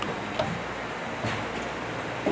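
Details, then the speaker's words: Nissan S13 (89-94) with rear-mounted battery, fuel pump after installing plug-and-play hardwire kit with relay and fuse: a few sharp relay clicks over a faint steady pump hum priming; pump and relay working normally. "She's doing the thing. Ooh, I can hear the relay click. Yeah, it's working."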